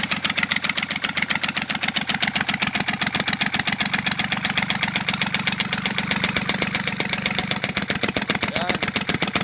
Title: engine knocking with white smoke,replace cylinder head Kubota L1-255 tractors&marine MECHANIC